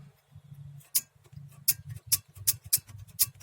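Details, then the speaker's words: Mazda 626 brake caliper, reassembled after guide repair: bright uneven metallic ticks as caliper is shaken, worn loose brake pad anti-rattle spring clips rattling against the bracket. "Еще, кстати, тут тарабанят вот эти вот пружинки. Вот, прям слышно, как они дрынькают."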